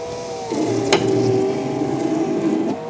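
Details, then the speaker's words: 2011 Fiat 500 Lounge (repaired Cat N salvage) power window, ignition on, motor whirs steadily with a rough scrape about halfway down; owner hoped for lack of grease. "the wind works fine it's just a horrible scraping noise I'm hoping it's just grease"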